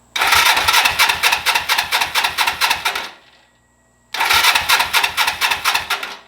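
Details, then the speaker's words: 1982 Suzuki GS300L after starter relay replacement, starter jumped directly bypassing the switch: two strong bursts of fast, even cranking at four to five pulses a second; starter works, faulty starter button confirmed. "bam we have ignition we have power all right so now we know for sure the starter button's bad"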